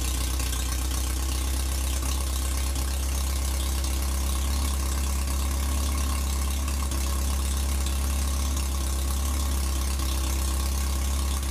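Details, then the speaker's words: 1947 MG TC XPAG four-cylinder, first run in about 40 years after rebuild, new fuel line between carbs, radiator filled, temporary exhaust; steady even idle, smooth exhaust beat, no knocks, but idling a little on the high side. "seems to be idling a little bit on the high side maybe we can work that out"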